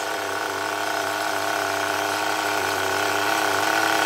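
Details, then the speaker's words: HPI Rush Evo T-15 nitro engine after a new glow plug, now holding a consistent tick over: high-revving steady buzz whose pitch creeps higher as the high-speed needle is turned; pitch change during high-speed needle adjustment. "just playing around with a high speed needle listen for the change in the pitch and the way the engine sounds"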